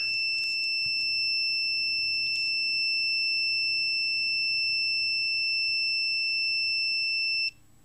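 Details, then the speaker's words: Orion R545A radio under restoration, continuity tester on the tuning gang: a steady high beep as the gang turns, cutting off abruptly, then shorting again at the end of travel. The suspected tuning capacitor has one or more plate shorts. "I hear it stops so here there is no continuity and then when I go all the way to the end there's yet again a short circuit so yes this tuning gang and it's the one I said I suspected does have a short or maybe even multiple shorts"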